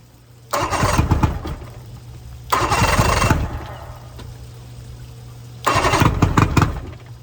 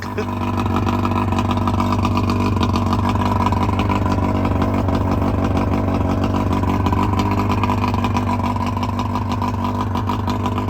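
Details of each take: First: 1999 Bayliner Capri 125hp Mercury outboard in rebuild, old spark plugs, noise-reduction shield still on: catches three times, each run under a second before dying; starts but won't stay running, blamed on carburetors. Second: 1999 Bayliner Capri with 125hp Mercury outboard during rebuild, extra oil premixed in the tank: steady, even drone with strong low throb, no knocks or misses; runs smoothly and healthy, though a small pressure-valve leak was found.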